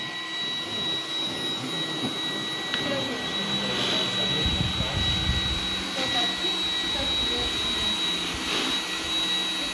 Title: iRobot Roomba 980 weird noise when it moves/is rotating/dziwny hałas przy poruszaniu/obracaniu się